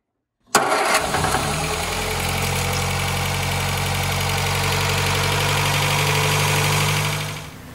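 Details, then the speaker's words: 1960 MG MGA 1600 roadster that sat in a barn for a very long time, started after a leaking oil hose was replaced: it fires on the first turn and settles into a steady, even idle with no knocks; it runs and sounds healthy. "the car does run and it sounds pretty good"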